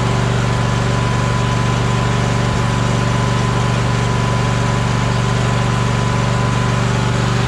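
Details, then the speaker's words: Troy-Bilt Horse riding mower with a no-power complaint: even, steady low thrum about four beats a second that never climbs; engine runs smoothly but stays below full governed speed. "all right it sounds good but it's not at it's full H or full idle or um accelerated it's not accelerated as far as it's supposed to be"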